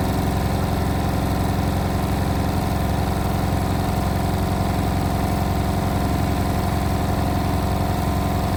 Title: Indesit WIL143 | Strange noise on final spin 1400rpm